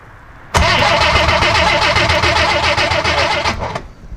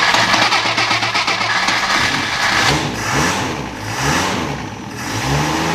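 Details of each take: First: 1963 Rambler Classic 660, sat a long time, points being cleaned and adjusted: steady starter churn about four beats a second for three seconds with no firing; engine cranks but will not start, spark looks yellowish. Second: 1963 Rambler Classic 660 after sitting a long time; cranks and catches after a few seconds of uneven firing, then settles into a steady, even idle with a smooth low hum.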